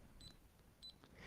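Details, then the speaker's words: Smart multimeter in NCV (non-contact voltage) mode held to an insulated twisted cable: short, high-pitched beeps about every half second in a quiet room, flagging potentially live voltage. "it's telling me that there's potentially live voltage on that cable"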